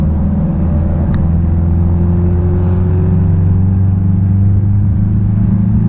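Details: 1966 Triumph Spitfire, rebuilt 1147cc four-cylinder, driving after fuel system stripped and lines flushed: deep, steady exhaust rumble climbing smoothly under load, no stumbling, popping or misfire; engine pulls strong and clean.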